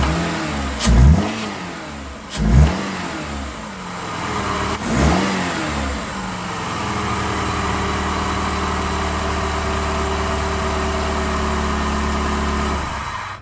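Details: PT Cruiser towed in with crank no start, fuel system primed, airbox off, intake air temperature sensor unplugged: catches after a few cranks, revs briefly, then settles to a steady even idle with no misses or knocks; normal running.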